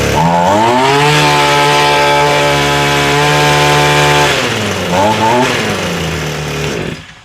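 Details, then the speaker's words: Echo SRM 225 trimmer before carb rebuild, which stalled at idle, with the idle screw turned almost fully up: at high revs the buzz wavers and dips, a top-end flutter. Carb suspected. "Now we turned the idle almost all the way up, but you can hear she still has a flutter at the top end."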